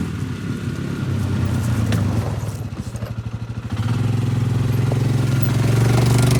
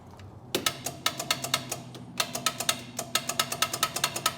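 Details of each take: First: Polaris Ranger 500 4x4 after a top-end rebuild and a new carburetor needle valve, on its first short yard drive with no coolant: it chuffs unevenly at first, then settles into a steady drone with no misfires. Normal running. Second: Polaris Ranger 500, starter cranking attempt: rapid sharp clicks with no cranking, no power reaching the starter; solenoid suspected bad, cranks when jumped.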